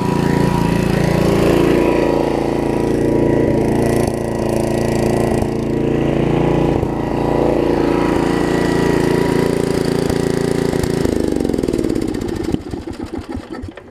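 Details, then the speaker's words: 1981 Snapper RER mower with a broken governor, running fast, with water in the fuel: steady fast chug, then a sudden stumble and sputter as water on the freshly washed spark plug shorts the spark; misfire. "that's it so this is just wet on the plug so as soon as I hit it right there on the back side of the plug it gets wet out let's let that dry"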